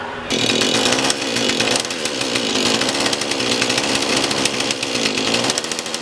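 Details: Husqvarna 440 X-Torq chainsaw run after oiler and sprocket replacement to check oil flow: a steady high-revving two-stroke buzz, even with no misfire or surging. The saw runs clean and healthy.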